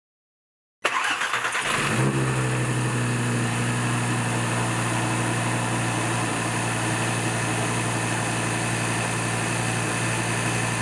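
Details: 2013 Audi TT RS (8J), cold start: cranks, catches and settles into a fast, steady idle with no misfires. This is after reinstalling the intake manifold flaps and port separators removed during valve carbon cleaning, which had caused misfires, codes and CEL during the ~45 s warmup.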